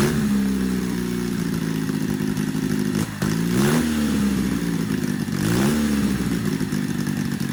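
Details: Custom supercharged Triumph motorcycle (Born Free build), first fire-up after two years: engine catches, revs rise and fall cleanly with crisp, even exhaust note; healthy startup and revving.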